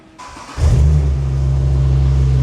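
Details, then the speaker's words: Skoda Octavia estate fitted with an Audi RS3 2.5L five-cylinder (DAZA) engine, restarted after a whine was traced to the alternator: fires and settles into a smooth, steady idle with no whirr or whine. Owner hopes the AC compressor is the remaining issue. "And yeah, engine sounds perfect, sounds beautiful."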